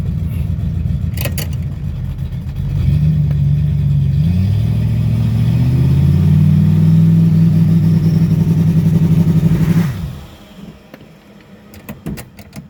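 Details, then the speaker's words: 1995 Ford Mustang with C4 three-speed automatic swapped in, two-stepped in the driveway: deep engine held at a steady raised rev for several seconds, rising and settling evenly, no knocks or rattles; normal, healthy revving. "As you saw, we were two-stepping it a little bit in the driveway. Sounds pretty good."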